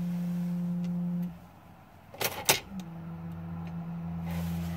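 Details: 2004 Sprinter engine bay, faint low-frequency hum around 180 Hz from a failing fuel pressure relief valve, a bolt-like part on the bottom of the high-pressure pump.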